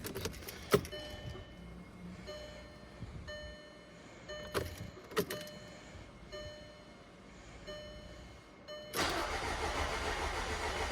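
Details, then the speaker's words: 2009 VW Tiguan TSI after repair for noise like the motor eating itself: key-on clicks as fuel primes, then catches cleanly into steady run, some turbo noise; normal start. "Oh, listen to that, baby. A lot better before. You're crawling and blowing up. You're running now, baby."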